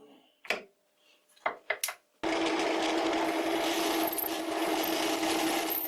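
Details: Large drill bit on a lathe, speed cut from 550 to 350 RPM, drilling a holder for a Ferm mini grinder: harsh scraping chatter with a steady squeal under load; sounds terrible, more lubrication suspected needed.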